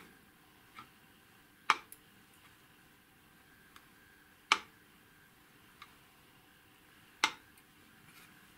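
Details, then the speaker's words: Smiths 201 GVE-FA1 vertical gyro reference unit that had received a shock: quiet hum broken by sharp glassy clicks about every three seconds with fainter ticks between; abnormal internal rattle, source unknown. "That noise is not normal, but I don't know where does it come from."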